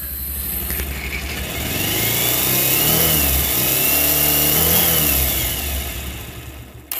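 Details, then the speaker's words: Bajaj Pulsar motorcycle already worked on by several technicians: loud harsh mechanical clatter over the exhaust that rises with rpm; engine noise suspected from the engine bearings or the balancer and weight pinion. "মানে কি বলবো, আপনার bike যখন চালাবেন তখন তো আপনার সাইলেন্সের sound তো কানে লাগা দূরের কথা, আপনার ইঞ্জিনের সাউন্ড শুনলে হর্ন দিতে হবে না, এরকম একটা অবস্থা।"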